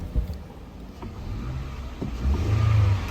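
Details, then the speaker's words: 2014 Toyota Camry 2AR 2.5L petrol after misfire and power-loss repair: idles low and steady, revs cleanly on throttle blip, engine now pulls with power — normal revving, no misfire. "Engine में power ए गई है accelerator देने से गाड़ी जो है उठ रही है"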